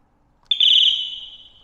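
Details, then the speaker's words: Ducati 748 that doesn't run: connecting the negative terminal of a charged battery sets off the bike's alarm, a sudden loud shrill high tone fading over about a second; key fob doesn't work. "Alarm goes off. Damn it, that's quite loud."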